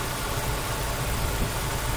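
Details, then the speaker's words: Ford Escort 1.8 16-valve DOHC after lifter cleaning, new crank and cam seals, water flange and fully synthetic oil: steady even idle with cooling fan whoosh, former metallic lifter tick gone — normal idle. "Şu an böyle yani. Fan sesimiz var. Ve motorun rolanti sesi bu yani. Ses namına bir şey kalmadı yani."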